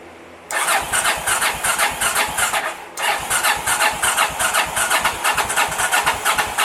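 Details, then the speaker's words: 1983 Honda VT750 motorcycle's first start after a top-end rebuild and modifications, on choke with starter fluid sprayed; cranks briefly, catches at once and settles into a steady, slightly lumpy beat with no knocks or rattles; normal start and choke idle. "turn the key over i'm still [ __ ] nervous he went like i heard the engine turn over which is so [ __ ]"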